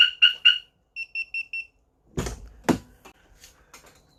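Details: Newly self-installed aftermarket car alarm on an 1988 Honda Accord: three sharp chirps then four quicker high beeps, clean and even; alarm sounds as it should.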